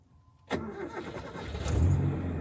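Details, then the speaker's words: 1973 Toyota Corolla, just driven about 500 km from Medan: brief crank, starts easily at once and settles into steady even low rumble, engine feels light; normal engine start. "jadi dari apa ya dari kita mulai start mesin itu mesin itu masih terasa ringan aja gitu ya masih terasa gampang aja hidupnya gitu"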